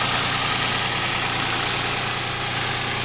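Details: 1997 Geo Metro, 1.0-litre four-cylinder, 5-speed, with a brand-new engine after a drivetrain restoration (it had smoked badly with no power before): an even, quiet idle under a lot of hiss, no knocks or ticks. Sounds healthy.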